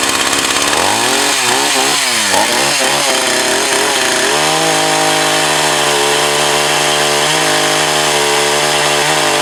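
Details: Echo CS 4500 chainsaw, bought used with unknown history, after carb rebuild, test run behind a garage in wind. Revs up and down cleanly, then holds a steady high buzz with no bogging or sputter; running properly.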